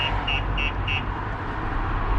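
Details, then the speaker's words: 2020 Ford Transit with a StarLine S9 alarm: four sharp high chirps at about three per second over a steady engine idle, then silence as the alarm is disarmed with the tag. Without the tag the vehicle is immobilized and the alarm triggers. "So without this tag, you're not able to drive the car, and obviously it will set the alarm off."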